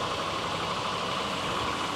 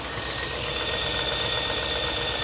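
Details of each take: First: Land Rover Discovery with Buick-derived V8, 139,000 miles, first start on second try: steady, even idle with smooth rumble and no valve clatter; maybe a slight tick at first that went away, possibly oil pressure; running healthy. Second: 1996 Land Rover Discovery, Buick-derived V8, 139,000 miles, just started: steady idle with no valve clatter but a faint, even light tick or knock; the tick later went away, possibly oil pressure related.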